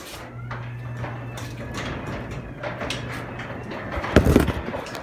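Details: New Craftsman Wi-Fi smart ultra-quiet belt-drive garage door opener: low quiet steady hum for a few seconds, then the door thumps home; normal smooth operation.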